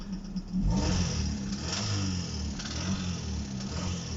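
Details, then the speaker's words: Hyundai/Kia G4GC engine, nearly 200,000 km, knocking since 180,000; low rapid rattle riding on revs, from the cam phaser side near cylinder four, felt in clutch pedal; phaser valve tested fine, cause unknown, suspected phaser. "Так вот тарахтит. Оно как бы никак не влияет на езду, но морально давит."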